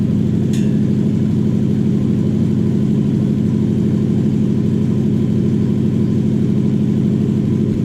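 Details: Toyota 1UZ-FE V8: smooth, even idle with a steady low burble and no misses, hunting or hissing leak.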